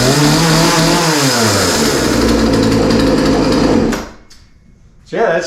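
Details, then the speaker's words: Poulan P3314 33cc chainsaw, 14in bar, bought as non-runner with chain off the bar, after starting with primer and part throttle: revs high and smooth, steady pitch, drops cleanly and picks back up; runs strong and healthy. "pretty good I mean I didn't really expect any different after all it was running before we started working on it so it's not surprising that it sounds okay"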